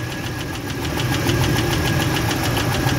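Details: Ford F-150 with bad coil packs and leaking intake gaskets: sharp, regular tick about four times a second over the idle from one bank; the wrong spark plug struck the piston, causing catastrophic combustion chamber damage, and the engine needs replacement.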